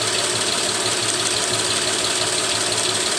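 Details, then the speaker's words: Engine with two spark plugs per cylinder: one plug gives no spark and the other only a weak spark, and with that ignition tested the idle becomes lumpy with one cylinder completely dead. Dead cylinder misfire. "so now the car has just a complete dead mess on this cylinder before it wasn't as pronounced because you still had one of them firing"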